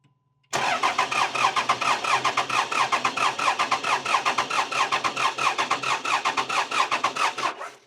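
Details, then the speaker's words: Cummins diesel truck cranking with injector connectors unplugged: cranking pulses about one and a half per second with an uneven, skipping beat where one stroke comes up light; cylinder 6 is a dead hole from low compression. "So if you heard the way it kind of cranked, instead of being like a solid just cranking sound, it kind of had a crank crank hip and then like a skip kind of deal. So that right there, I mean, just when we started cranking it up before, that's when I kind of knew we had a dead hole."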